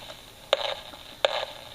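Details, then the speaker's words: AM superhet receiver project with a suspected AGC problem, heard through the signal tracer. Over a faint steady hiss, two sharp crackling bursts come about three quarters of a second apart: a pulse-type, non-solid interference of unknown origin. "that I don't know what it is but it's obviously something that's not a solid signal a pulse type but"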